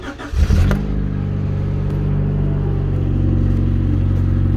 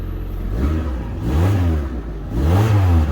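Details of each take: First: Rover 416 SLi automatic petrol engine idling and revving with a raw, loud chuffing blow from the exhaust after welding repair; rear silencer back box not yet refitted, so exhaust still blowing — exhaust leak. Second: Rover 416SLi automatic after the exhaust was repaired by welding and the back box refitted: deep, smooth revs rising and falling with a solid low note, no puffing or ticking; exhaust sealed, normal running.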